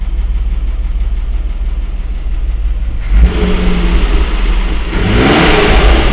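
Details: Mercedes W126 after swapping in another carburetor to cure high, jerky idle: low, even idle around 800 rpm, revs climb cleanly and settle with no misfire or stumble; the old carburetor was the fault.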